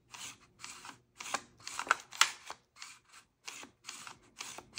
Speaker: um but yeah you've got like a like a regular pull and then it just stops and then it becomes extra difficult um so that's and then you can even hear it grinding